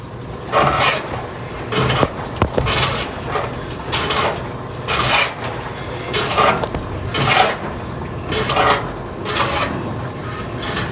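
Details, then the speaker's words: General Electric washing machine scrapes harshly in rhythmic bursts with each agitator stroke during the wash, louder with more clothes loaded; the tub is rubbing on a bent cabinet base. "y que cuando le llama ropa hoy que raspa feo que cuando echa más ropa cuando le echa más ropa dice que hace más ruido"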